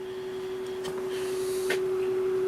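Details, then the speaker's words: Patton box fan, 1.2 A motor, on low: quiet, steady mid-pitched motor hum with audible harmonics and faint handling clicks, still pushing a nice breeze; healthy. "even with it being that quiet it's still pushing a nice little breeze you can hear those motor [Applause] harmonics"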